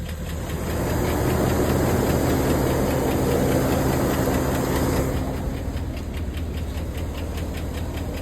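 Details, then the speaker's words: 2011 Cadillac Escalade, 6.2L V8 with AFM, 178 (thousand) miles, on day two of Marvel Mystery Oil and Sea Foam treatment. A steady tick of about four per second keeps pace with the engine, louder than the day before; a lifter is suspected. No check-engine light. "I think the noise got louder than uh I think it's louder today than yesterday"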